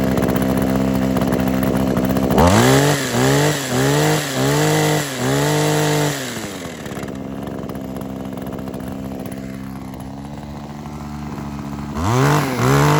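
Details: Kawasaki KHT600D hedge trimmer two-stroke after new fuel lines, primer bulb, fuel cap and tune-up: quick rev blips about four a second, settling to steady idle and revving again; runs healthy.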